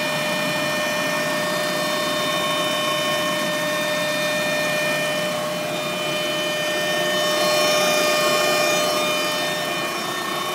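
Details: Mk1 Golf Cabriolet Clipper: steady high-pitched whine at one pitch over the running engine, seeming to come from the rear of the engine bay; source unidentified.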